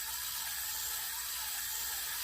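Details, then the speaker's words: Daiwa 4000C Silver Series spinning reel, fully serviced, cranked with the anti-reverse off; light, smooth high-pitched whir with no grinding or catching, running freely and about as smooth as when new. "Let's listen to it without the anti-reverse on. But that's not bad. They weren't much better than that brand new."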